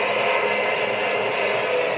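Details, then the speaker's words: Schaublin 102-80 lathe, newly installed, spindle test run stepped from 450 rpm up to 1800 rpm: an even, steady high-speed whirr with no knocks, rumble or pulsing, not very loud; spindle runs smoothly, normal. "nice that's really smooth so she's running after 450 revolutions per minute let's see what she sounds like in 1800 nice [Applause] she's actually not that loud"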